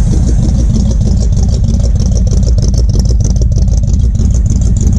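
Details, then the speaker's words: 1950 Ford F-47 with a flathead V8 and 3-speed manual, restarted after years of sitting, with the choke still partly closed: a deep, even low burble with a steady loping beat and no knocks or misses. Normal idle. "there's nothing that quite sounds like a flat head forward [Music] just humming along like a nice little kitten"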